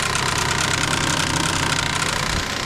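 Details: Pontiac Vibe (Toyota Matrix twin) electric radiator fan, triggered via relay on a 19-degree winter day: steady whirring roar with rough, uneven rattle; worn fan, to be replaced.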